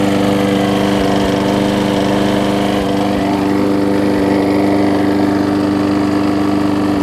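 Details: Husqvarna mower with aluminum deck and a transplanted single-cylinder engine, after a new gas tank, a replacement carb and a tune-up, started after priming. It holds a steady, even drone with no misses or surging, running cleanly.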